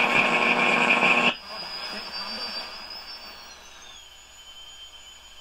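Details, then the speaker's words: 1935 Silver Bell mystery radio after capacitor replacement; loud shrill squeal over hum for a second, then a thin gliding whistle at high volume on a weak signal: oscillation, being trimmed by alternating volume and a trimmer cap until max volume works. "what I'm doing is I'm alternating between the volume and this cap to bring it out of oscillation just to get the volume control louder with a weak signal without it going into oscillation there it goes into oscillation"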